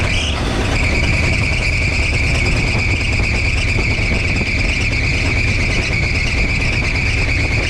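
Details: 1962 Chevrolet C10 running in the driveway on a weak battery, timing seemingly a little off during timing and carburetor tuning; steady high-pitched squeal over a rough-running engine from a slipping drive belt, belts later replaced.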